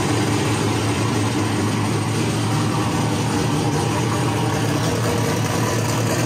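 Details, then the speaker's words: Ford Mustang with single-turbo LS-based L33 V8, first start-up after turning off the ignition timing offset: steady, even idle with firm low rumble, no misses or knocks; known vacuum leaks remain. "it lives it lives yeah so the timing offset was definitely the uh problem why I wouldn't want to start"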